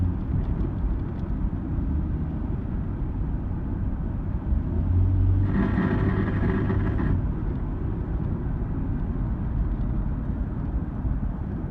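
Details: 2002 Nissan Xterra while driving: steady road rumble, then about 1.5 s of harsh metallic buzzing from under the passenger-side floor as revs reach around 2000–3000 RPM, fading off the gas; a mechanic suspects exhaust rattle, not confirmed.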